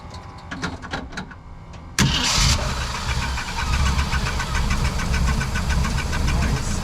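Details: 1972 Jeep CJ5 that was overheating, after water pump replacement and radiator cleaning: brief start-up burst, then steady, even low rumble with no knocks or misses; earlier knocking was the alternator hitting the frame.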